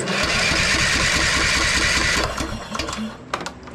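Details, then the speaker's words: Troy-Bilt Bronco riding tractor, unstarted a year, after freeing the frozen starter Bendix so it engages the flywheel: starter spins the engine at about four beats a second, each compression stroke even; normal cranking with good compression. "All right. Sounds like it's got good compression and everything, too, so."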